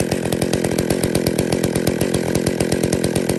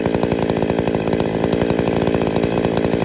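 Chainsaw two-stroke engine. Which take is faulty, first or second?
first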